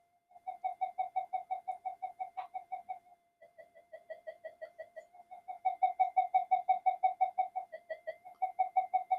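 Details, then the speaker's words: Old Minelab GP Extreme metal detector on the bench with no-audio fault, touching the master oscillator: pulsing, wavering alien-like tone; owner suspects the phase lock loop section has gone unstable due to aged parts. "But to me, it sounds like it's in the possibly in the phase lock loop section of the detector. It's something is gone unstable, considering how old the parts are in these."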